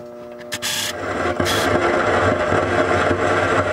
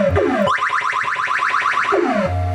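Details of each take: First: 1980 Williams Scorpion pinball, original sound board with volume turned up, before repair: steady mains-type hum with irregular crackle and hiss. Faulty sound board causing hum and crackle. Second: 1980 Williams Scorpion pinball with a new replacement sound board fitted: crisp sweeping electronic tones rise and fall cleanly, no crackle or hiss. Clean sound output.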